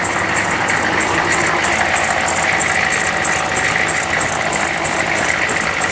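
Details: Diesel after replacing faulty glow plugs, only two of six had worked: steady idle with even clatter and bright high hiss, no misfire; now starts and runs healthy.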